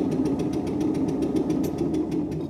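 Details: Stuart Turner P5M 2-stroke single-cylinder inboard boat motor, first start with idle speed cam set for extra fuel: small puffing and popping in quick, ragged beats, catching but not yet settled; uneven firing on first start.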